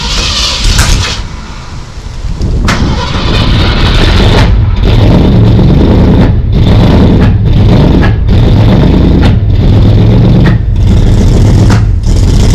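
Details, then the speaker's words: 1964 Ford Falcon Sprint, first run in 12 years, just lowered to the ground: uneven lumpy idle with irregular dips, owner suspects a miss; rough running. "I'm not gonna lie, she's running a little rough. Sounds like she's got a miss or something happening,"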